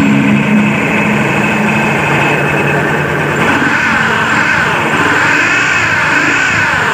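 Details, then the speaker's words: Honda Beat scooter engine with the primary drive pulley removed: a loud, rough, churning roar remains unchanged, so the noise is attributed to a worn crankshaft bearing. "suaranya masih sama brisik yah Kita buka lagi"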